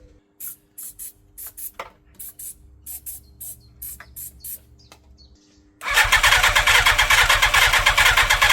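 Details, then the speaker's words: 1987 Yamaha FZR1000 unused 16 years, refurbished carbs, easy start sprayed in: hissing spray bursts then fast even cranking that never catches; cranks but won't start, owner suspects fuel not reaching carbs without pressurized pump. "It's not happy, is it? Not happy."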